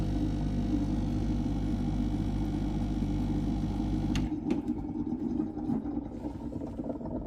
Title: BES920 Gurgling sound